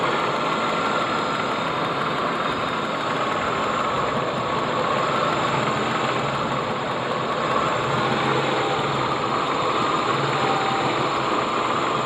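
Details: Ford EL Fairmont Ghia, engine bay: busy, uneven idle with an irregular shake, rough on both gas and petrol and stalling frequently; the owner guesses a faulty computer or distributor; rough idle, cause not confirmed.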